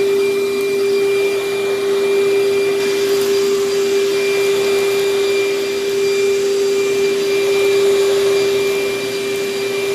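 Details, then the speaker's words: Vacuum with good belt tension, minimal hair tangles, paper bag about a third full: steady even motor hum at a constant mid pitch, no rattles or speed changes; suction solid, strong airflow, running normally. "yes this thing works very very well the suction is solid on it"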